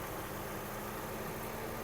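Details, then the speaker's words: 2006 Volkswagen Golf Plus 1.6 MPI petrol, 176,000 km, fully serviced, even compression in all cylinders; steady even idle with faint hum as climate control compressor loads the engine; healthy, no smoke or misfire. "клімат откручився нагрузка пішла компресія есть компресію ми завіряли у всіх циліндрах однакова нагадаю дане авто повністю технічно обслужене не димить не труїть"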